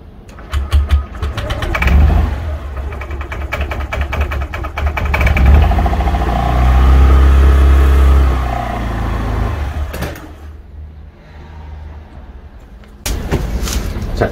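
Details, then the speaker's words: 2020 Honda PCX125 scooter on a cold start: the engine catches, revs briefly, then sags and dies after about ten seconds before a restart. It holds idle when warmed but not cold, a symptom of incorrect valve clearance (intake 0.1 mm, exhaust 0.24±0.02 mm). "Kun se on esilämmitetty, jos se on tarpeeksi lämmitetty, käynnistys säilyy, mutta kun itse kylmäkäynnistetään, tyhjäkäyntiä ei ylläpidetä, joten se on erittäin epämukavaa."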